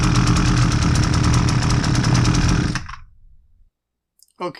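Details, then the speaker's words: Husqvarna 326LD string trimmer, low on power, fresh fuel, no air filter fitted: small two-stroke buzzes roughly, surging and uneven, then dies; carburetor metering diaphragm too stiff to meter fuel properly. "so that didn't run very well and on top of that there's no air filter in it"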